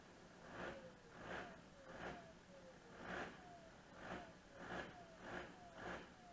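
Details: VW Touareg 2.5 R5 TDI, 174 bhp, 4Motion, manual, with 400,000 km, at cold start with smoke. The diesel idle hunts with a loud rhythmic surge about every two-thirds of a second from bad injectors, which have worsened over the last year.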